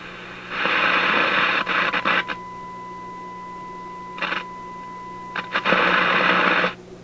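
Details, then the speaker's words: Simplex antique tube radio during signal-injection testing near the 6A7: clean steady tone near one kilohertz with faint overtone between static bursts; radio reproducing signal well beyond this stage. "okay so this is telling me this is what it's telling me i don't know what it's telling you but what it's telling me is this radio is really working quite well beyond this too"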